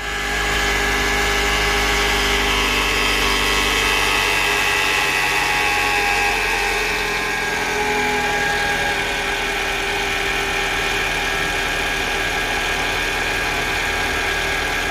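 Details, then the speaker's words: 2011 Toyota Alphard Gen 2 Type G at idle before repair, engine also roars loudly at start: coarse, buzzy idle with steady vibration underneath; rough from worn balance shaft pads and failed one-way alternator pulley. "Ya, tadi udah denger kan ya suara mesinnya waktu idle tuh seperti itu, kasarnya, terdengar kasar banget."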